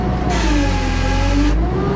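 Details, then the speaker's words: JLG 80 HX boom lift hydraulics, telescope function held at peak pressure with the cylinder unable to move: steady high relief-valve squeal over engine drone; pressure too low (2400-2600 vs 3000 spec), relief valve to be turned up. "so we're going to hit Peak pressure did you hear how the squeal is very different it's a different relief"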